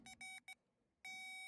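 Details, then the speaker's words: Oliver 88 row crop tractor that sat 20 years, power probe checking battery and starter ground after cleaning connections: a few broken beeps, then one steady unbroken high tone with no flashing; good ground. "a solid tone just like that that is perfect that's what you're looking for"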